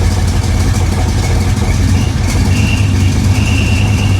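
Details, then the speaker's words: Flooded 1966 Chevrolet Impala just revived after a power wire fix: rough, deep idle with a thin high squeal coming and going in the second half from the slipping accessory belt. "hear that BR squeeing again just idle for me girl [Music]"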